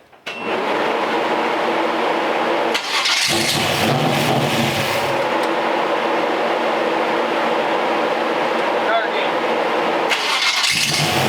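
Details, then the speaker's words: Small-block Chevy V8 in a C10 with a 700R4, carb tuning: AFR gauge bouncing 15 to 19, so it is running lean; loud idle with a slightly ragged, hunting note; the carb mixture screws are being adjusted. "it was bouncing between 15 and 19 a little lean huh yeah let me turn these screws down a little bit"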